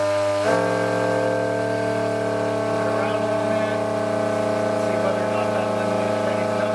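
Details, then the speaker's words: Indoors, motor on a Coroplast delta wing held by hand at steady full speed, with a Mobius camera without the vibration dampening mount: a loud, constant electric whine and buzz, a sign the motor/prop is very badly balanced. "you can hear how loud that is that's a pry good sign that the the motor itself is very badly uh very badly Balan"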